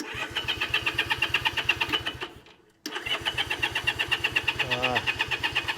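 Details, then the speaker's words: Honda CA78 305 Dream, unridden since 2010 (14 years), choke on, fuel on, key on, throttle stuck: steady starter chug about three beats a second with a pause and no firing. Spark confirmed, no fuel. "throttle stuck going need to clean the carburetor"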